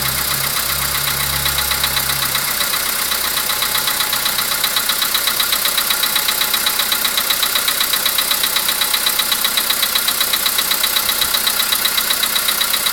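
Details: VW Polo Sedan with CFNA engine at idle: sharp, very even tick-knock around 2.5 per second over a steady idle; an unexplained engine knock whose source is not pinned down.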